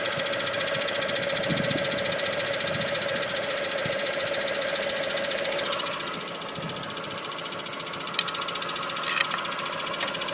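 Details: Mk4 Golf GTI 1.8T on axle stands, recorded underneath at idle: steady put-put pulsing of three to four beats a second with vibration; owner suspects a loose pipe, engine mount and ARB bushes checked fine.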